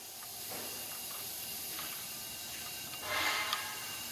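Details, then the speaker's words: Mitsubishi engine (model transcribed as GCS25S) with extreme low power, leak-down test: valve cover off, rockers loosened, air fed at about 40 psi into cylinder 2. Steady hiss, then a louder rush as air escapes into cylinder 3, a leak between cylinders (head gasket). "I lose pressure going into cylinder number two it's also going out to surrender number three so the pressure pressure loss between cylinder number two"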